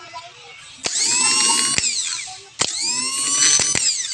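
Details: Suzuki F6A starter on a bench test after cleaning and work on its worn brushes, with the solenoid apparently repaired before. Two clean high-whine bursts that spin up quickly, hold steady and wind down smoothly; the starter is working normally.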